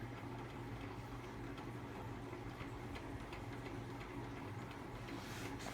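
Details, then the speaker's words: Hampton Bay St. Vincent II 52-inch ceiling fan on high after about 15 minutes running and WD-40 on bearings: faint regular light ticking over soft steady hum; worn motor bearings suspected, needs new bearings. "WD40 can there's really not much in it left and this fan needs completely new bearings in it"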